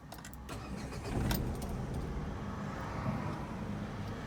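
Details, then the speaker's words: Renault Kwid three-cylinder engine at idle after the alternator and A/C belts were replaced. A steady, slightly uneven low idle with no cricket-like whistle, which was the earlier problem now fixed; this is the normal three-cylinder sound. "O único barulho que ele faz é o barulho do motorzinho mesmo, 3 cilindros, né? Faz um pequeno ruído, isso é normal."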